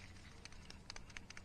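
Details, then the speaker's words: Ford Escort GT, removed during water pump replacement, idler/tensioner pulley spun by hand: faint, irregular gritty ticking, with play in it, unlike the silent new part; worn, dry idler pulley bearing. "y'all hear that thing's got play in it"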